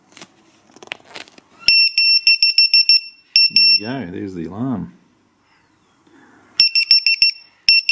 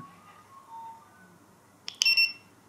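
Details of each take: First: ViFLY Beacon lost model alarm dropped from a height, beeping once every 3 seconds, then after 30 seconds with no movement detected it sounds loud piercing rapid chirps in fast bursts. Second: ViFLY Beacon lost-model alarm powering on normally: the button is held 2 to 5 seconds, then a quick chirp and two short, shrill beeps, repeating in standby mode.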